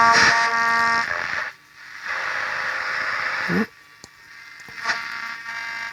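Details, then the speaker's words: 1958 Perdio PR7 Park Lane transistor radio under repair, distressed ceramic capacitors seen: radio hiss and tone break into scratchy bursts and dropouts as the volume is moved, from a very crackly volume pot. "Certainly sounds like it's trying. Pot is very crackly."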